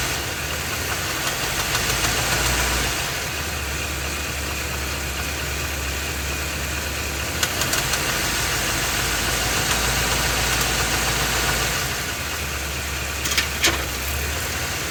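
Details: Ford F250 with 7.3L Godzilla gasoline V8, phone under the truck, idling and shifted through gears, A/C off. Quick, fairly even tapping under the idle persists in gear; internal engine knock, engine later replaced.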